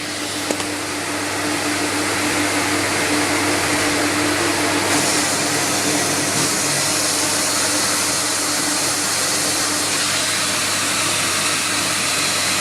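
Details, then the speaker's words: Record Power CamVac CGV286 twin-motor dust extractor, both motors running, baffle tubes removed, exhausting straight into workshop; loud harsh constant rushing roar over steady hum, hard on the ears, no surging or grinding; normal running. "so now we're running the vacuum pump and extracting from the can back straight in the workshop and he's actually quite noisy because the noise is quite hard for the years"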